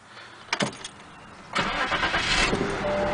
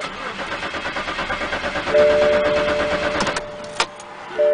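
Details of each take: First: BMW that cranked but would not start, after replacing the fuel pump relay: brief starter whir, then the engine catches at once and settles into a steady, even run. Normal start after the repair. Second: BMW that cranks but will not start: starter turns the engine in even pulses about twice a second but it never fires; no fuel due to failed fuel pump relay, fixed by replacing the relay.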